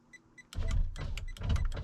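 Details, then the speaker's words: 2000 Ford F250 Super Duty power window motor running normally when fed 12 volts directly, short clean whir pulsing as the glass travels, no grinding; switches and motor good, window switch not getting power, relays suspected. "I have up and down control on the window just by giving power there so what does that tell me that tells me that the switches are good the motor is good"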